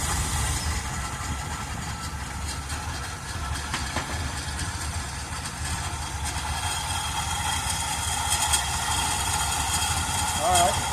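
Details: 1978 Chevrolet Custom Deluxe truck, engine freed from being stuck after sitting for years, carburetor had water in bowl: uneven lumpy idle beat with wavering note; not idling great, cause unconfirmed. Rough idle.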